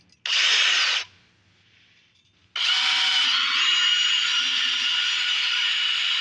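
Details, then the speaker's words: Disc brakes noisy again after a Palmolive treatment wore off, and locking up: a harsh high-pitched hiss and grind in short bursts, then steady as the brake drags. ABS works. Disc brake noise. "and they're making a bit of noise again and but they're locking up so i gotta look into the science of that"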